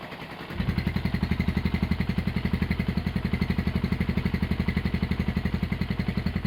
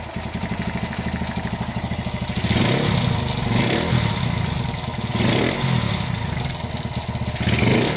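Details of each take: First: Honda GL100 (GLK 100) CDI single-cylinder engine, with idle raised: it catches and settles into an even, steady thump around four beats a second with no ticking or clatter. Healthy idle. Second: Honda GL100 (GLK 100) engine before restoration, which also smoked and leaked oil underneath: fast metallic clatter over the idle from the clutch side, swelling with each throttle blip. Loose primary gear rattle.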